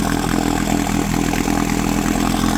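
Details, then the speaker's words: 1972 Johnson 9.5 outboard, roadside find being revived, two-stroke fuel mixed heavy on oil: slightly lumpy, burbling, uneven idle; running rich, with an unexplained misfire the owner thinks sounds like early firing. "she's a bit rich. Not sure what that misfire is. It's almost like it's almost like it's firing early."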